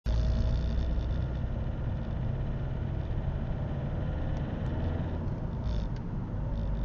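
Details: Opel 1.7 CDTI Z17DTJ diesel with Denso injectors, cold engine: deep, heavy tractor-like clatter over a low drone. Quiet once warm, no fault codes. Knock was from a faulty injector, and replacing that injector fixed it.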